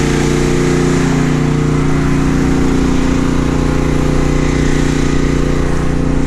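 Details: Steady, even engine drone at constant pitch with no misses, surges or knocks; home backup generator carrying the house load (refrigerators and freezers) smoothly during Hurricane Ida power outage, house breaker off and incoming line disconnected.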